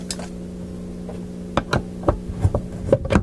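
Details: 1960s Symphonic Model 962 tube-amp record player left running: steady low buzzing mains hum from the amplifier power supply under scattered handling knocks.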